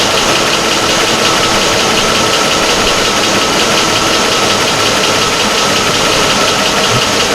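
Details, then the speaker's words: 2004 Chevy Avalanche 5.3 V8 after engine rebuild, first startup: even, continuous idle rumble with no stumble or misfire, smoke burning off, sounding better as it warms up. "It sounds smooth. Wait, this is a good sound? Yeah. And I don't feel any misfire."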